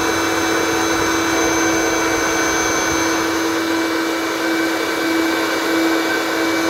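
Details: Hoover vacuum from the tip; the owner suspects the electronic speed LEDs are faulty. Steady, even motor hum with constant rushing air, no surging or rattles. Running properly.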